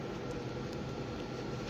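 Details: Silvercrest PD-8871 portable air conditioner (7000 BTU, R290) in cooling mode set to 20 °C, drawing about 645–650 W: a steady low compressor hum with even fan rush and no knocks or rattles; it runs normally under load.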